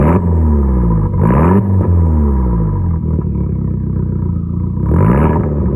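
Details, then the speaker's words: Car with 115,000 miles, short ram intake, possibly tuned ECU, battery just replaced after going dead, airbag/ABS/traction/brake lights on: quiet engine rising gently in revs, low, smooth, no knock or clatter; normal idle. "so i think purr's like again though it's very quiet"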